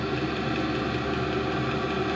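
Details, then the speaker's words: Chinese diesel heater in a truck camper, powered by an EcoFlow battery, turned up high: steady, even hum and fan rush with no surging; normal running, fuel pump clicking audible but buried underneath. "so now that it's cranked up you can really hear that fuel pump clicking but honestly you just kind of get used to it"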